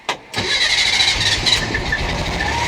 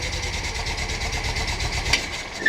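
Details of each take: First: Air-cooled 1600 engine freshly installed in a VW bus, first key turn in the vehicle after earlier no-crank trouble: brief crank, then it catches and settles into a steady, even idle; owner notes leaks, rubs and a suspected intake leak. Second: VW Bus with freshly installed 1600 flat-four, first start in the vehicle: lumpy idle with a steady hiss over the pulses, carbs audibly sucking air; owner suspects an intake air leak, unconfirmed; hissing at idle.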